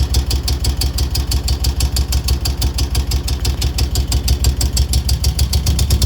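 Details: 2002 Moto Guzzi California EV: steady light tick, roughly three per second, over an even low idle; valvetrain-type tick, cause not pinned down. Engine ticking noise.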